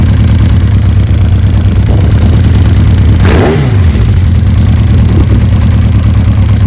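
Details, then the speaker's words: Diversion 600 after the clutch rattle was cured: a smooth, even tick-over just under 1,000 rpm, which the owner finds a bit low, with one throttle blip. No clutch rattle is heard. "So, you know, really smooth, lovely tick over. just under 1,000 revs, which is a bit low in um in my opinion, but it's sticking over absolutely fine."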